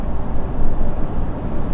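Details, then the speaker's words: Toyota Hilux on Maxxis Razr AT all-terrain tyres (31.5 in, alloy wheels), cabin noise at about 80–90 km/h, aircon off: steady low tyre and wind rumble; slightly more than the previous highway tyres, normal all-terrain road noise. "This is what you can hear here. You can hear the wind, you can hear the tyres a little bit."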